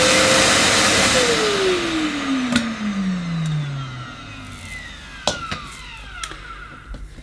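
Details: Millenea Apollo 1 metal egg-shaped vacuum, motor warm, exhaust vent on top: high motor whine that winds smoothly down in pitch as it coasts to a stop, no grinding or rattle; healthy motor run.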